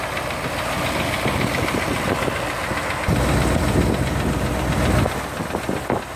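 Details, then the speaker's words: 1978 Corvette started after standing a few days, top end redone, new distributor, owner says bottom end is going; rough idle with uneven low knock heard at the front of the engine. "Get to the front. That's the tapping noise on about."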